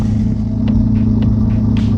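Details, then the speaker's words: Twin-engine Mazda MX3 on 87 pump fuel, during idle tuning: steady even idle, smooth low hum at about 1,080 RPM; idle too high, air screw tightened to bring it down toward about 790 RPM. "And now it seems like it's idling a little bit high."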